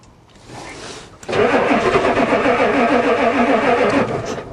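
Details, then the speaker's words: Ford diesel truck at +4 °C, new glow plug controller fitted but never clicks, owner suspects it doesn't work: steady fast cranking about 3.5 beats a second with a few weak catches, never runs. "It actually fired a little. Here we go again. Try again. It's cranking good."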